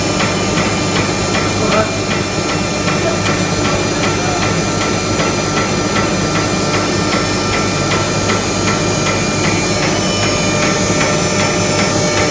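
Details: HSS: loud, steady hammering at roughly two and a half knocks a second over a whining tone; knocking noise, cavitation suspected, not confirmed.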